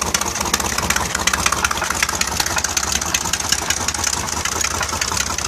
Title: Mercruiser 4.3l Rod knock or bad exhaust gasket